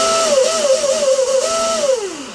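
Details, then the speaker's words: Deltaforce 35 RC boat on a freshly greased new setup on 6S, with a 4-year-old Octura coupler (5 to 0.187) and an HD OSE cable: a clean brushless whine that climbs, steps between speeds and winds down smoothly without rattles. The motor and coupler sound good. "That motor sounds pretty good."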